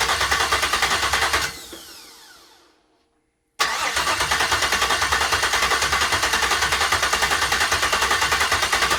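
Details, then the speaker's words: Gen V L86 6.2L V8 on an engine stand, first start with a Speartech harness and ZL1 fuel pump module, restarted after fixing transmission cooler lines that sprayed fluid: a steady, even V8 lope at idle that sounds healthy. "all right she fired off but uh i forgot to hook up the transmission cooler lines so they started shooting transmission fluid everywhere"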